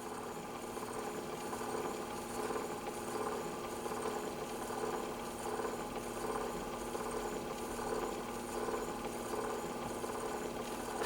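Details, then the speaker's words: 1917 Victor Victrola VV-XI spring motor, earlier pre-improved type, repaired and reinstalled: quiet steady whirr with faint even ticking from the fast-moving brass gear, no catches or speed surges; normal sound for this motor. "that is the sound of a patrola motor on average on average this is a normal sound for"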